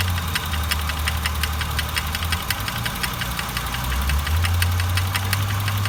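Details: 1999 Honda Accord idling with a rough, gritty grinding undertone and irregular light ticks riding over it; the source of the grinding isn't clear.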